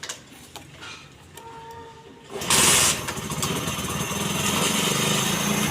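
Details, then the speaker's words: Motorcycle (Honda CD 70 type) after lighting/charging coil repair and wiring colour-to-colour: couple of kick attempts, then single-cylinder fires and settles into steady even idle; normal start, light and charging current then working. "Start करो, start करते हैं।"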